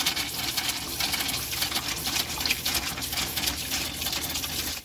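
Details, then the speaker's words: Camper van water pump running after filling about 50 litres into the tank: hissing, spitting water with uneven gurgling bursts at the tap as air is pushed out of the empty lines; pump then stops. "Un petit peu d'air dans les tuyaux. On entend qu'il tourne là."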